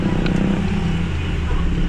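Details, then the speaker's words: 2011 Hyundai Tucson with check engine light, rough idle and fuel smell: held at full throttle, the engine stays at a flat drone around 2500 rpm and won't climb higher; low power, scanner shows low power and errors. "Pag ni-rev ko, ayan o, sagad na yung mga boss. Yung RPM nya nasa 2.5, hirap sa 2.5."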